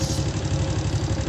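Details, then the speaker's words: Honda Supra motorcycle before repair, at idle: steady idle with regular dry kletek clatter on each beat plus small ticks; mechanic attributes ~30% to cam chain; lower valve slightly loose. "Ada bunyi kletek-kletek secara teratur dan sedikit bunyi kecil-kecil ya, tapi yang besar banget itu bunyi kletek-kleteknya."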